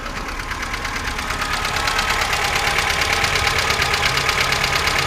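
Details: 2005 VAZ 2107 fuel-injected engine that used to run quiet, now rattling at idle: fast even ticking about three per second from the top end; a mechanic suspects worn camshaft lobes, owner also wonders about valves or chain.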